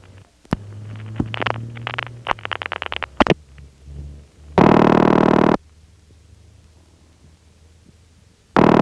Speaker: If there's anything that needs repair, it's the attenuation device on the 611 trunks because it isn't working at all. It's not often that you get to hear 90 volts of jingle juice being sent back toward the calling party, but here's what it sounds like when it happens.